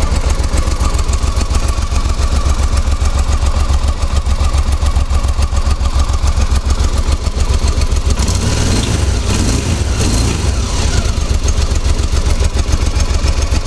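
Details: Honda Africa Twin idling with a quick, busy clatter over a low, even beat from the clutch side; the noise appeared after the clutch bearings and clutch back springs were changed.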